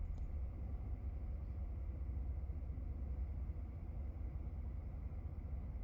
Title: 2017 F150 5.0 Rough Idle and Stall